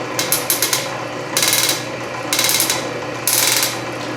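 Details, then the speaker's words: Canedy Otto drill press with power feed engaged while the spindle is advanced by hand: bursts of quick, light metallic clicks as the feed ratchet pawl overruns, normal clicking. "and you can hear that clicking that's that ratchet and you can see it Advance faster if you look at the graduations here"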